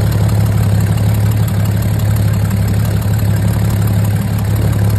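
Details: 22-foot Sportsman boat engine after replacing a fuel pump with cracked diaphragm by a rebuilt pump from another engine; steady, even low hum, smooth idle with no misses or knocks: running cleanly.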